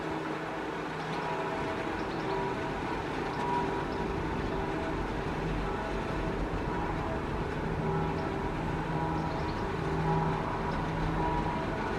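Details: Auer LS10 siren test run with a worn rotor bearing: low droning tones with a rough rumble underneath as the rotor slowly winds down, coasting over six minutes despite the bearing damage.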